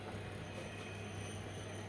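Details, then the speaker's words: Olivetti M21 computer powered on with a replacement Lexicon MFM hard disk fitted: failing power supply gives steady even low hum, no rattle or buzz, then beeps. Normal power-on. "Oh, this power supply is just knocking on heaven's door, isn't it? Ooh, it's making the right noises."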